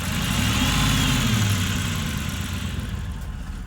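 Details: Hemi V8 at steady idle: faint quick tick over the low rumble that settles as revs drop; owner worried it is lifter tick, unconfirmed.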